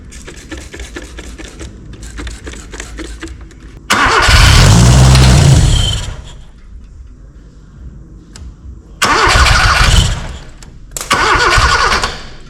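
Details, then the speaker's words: Austin 7 rat rod engine after 15+ years sitting, timing reset, not yet on its own fuel system: short cranking bursts, then it catches and fires loudly for a couple of seconds before dying, close to running; starter cable getting hot. "Sounds promising."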